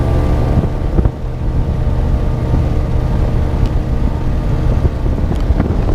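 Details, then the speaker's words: 1999 Johnson 200 HP outboard (J200PLEEB) underway through chop, days after replacing a SystemCheck fuel-flow vacuum switch blamed for false check-engine alarms in chop; strong, even drone under wind noise, no check-engine light or warning horn, so the fix is holding. "i'm gonna go check out the fix that i did and make sure that my engine's still running good so you can see it's running no uh check engine light and let's see how she does"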